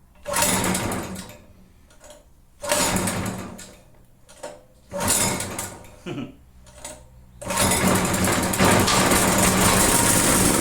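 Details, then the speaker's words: Generator stored unused for about a year, restarted after rework: runs in short bursts every couple of seconds, dies away, then catches again; owner suspects the spark is being killed, oil level uncertain, cause unclear. "and then just shutting off shoulders are sounds like it's trying to run"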